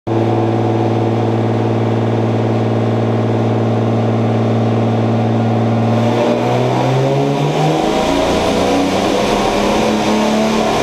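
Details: BMW E30 with turbocharged M50B25 engine: a steady note breaks up into a ragged stumble as it pulls under load, pointing to a misfire while accelerating.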